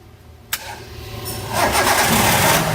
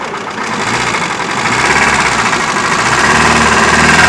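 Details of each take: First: Hyundai i10 1.1 petrol after camshaft replacement and tappet adjustment for engine noise: short crank on a slightly weak battery, fires and settles into a smooth rising idle with no ticking or knocking; noise solved, not yet road-tested. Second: Hyundai i10 1.1 petrol idling: light steady ticking about three times a second with some engine vibration as valves don't operate properly; tappet adjustment didn't help, traced to worn camshaft, camshaft and rocker arm to be replaced.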